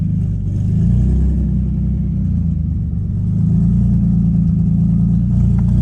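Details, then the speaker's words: 2005 Nissan 350Z with VQ35HR swap, 69,000 miles, running for the first time since 2018 after 7 years abandoned; steady, even low rumble with smooth firing and no knocks or misses; fuel pump sounded weak beforehand. "running for the first time since 2018. It's now 2025."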